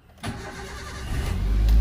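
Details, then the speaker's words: 2005 Daihatsu Xenia Xi 1.3 manual, 190,000 km, restarted after an earlier run, heard at the engine bay: brief crank, then catches at once and settles into a steady, smooth idle; clean, healthy start. "Kita akan nyalakan lagi dan lihat kondisi ruang mesinnya. Kita start up mobilnya."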